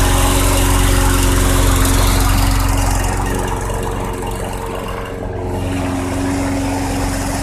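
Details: 2006 Craftsman 917.376160 push mower with 6.75 hp engine, found roadside and rusted out, running on 90-octane ethanol-free fuel with a suspect primer bulb: steady single-cylinder drone easing slightly midway without stumbling; engine great though the deck is not reusable.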